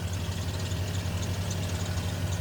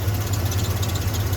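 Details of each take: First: 1994 Ford F-150 petrol engine idling with a steady low rumble, the first cold crank without the long-present rattle that usually fades when warm; the timing tab had been removed. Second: 1994 Ford F-150 cold engine idling with steady low hum and light fast metallic rattle, present since purchase and gone when warm; stopped after removing loose timing tab.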